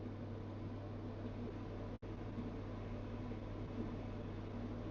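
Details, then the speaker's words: Abnormal hum from a new Elica SHY-BLK-90 angled glass cooker hood on fan speed 1: a steady low drone of unclear origin under the even whoosh of the fan; owner suspects something near the filter. "now you can hear the fan up there but also you can hear a bit of a it's I can't explain that noise and again there's some background noise in there"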